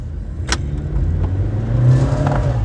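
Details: Nissan Juke: engine revs unevenly under throttle with lumpy, stumbling note, rpm jumping, car shaking and hesitating; one cylinder misfiring.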